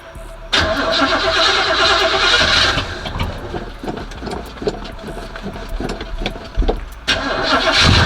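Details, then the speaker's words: Oldsmobile Cutlass 307 V8, just back from the mechanic, cold start after pumping the gas a couple of times: quick crank, catches at once into a firm high idle, briefly blipped. Starts cleanly; still burning some oil, so it smokes at start. "so real quick I want to give y'all a cold start I don't know if this is gonna come before the end the end of the video or what but I forgot to do it so I want to do that real quick for y'all"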